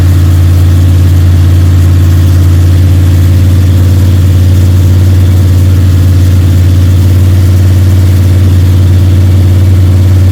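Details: Freshly built Ford 302 Cleveland V8 with Holley Sniper and new electronic distributor, first start, fast idle for cam break-in (~10–15 min), timing around 31°: deep, smooth, even drone, no ticking or rattle; engine sounds sweet, normal high idle.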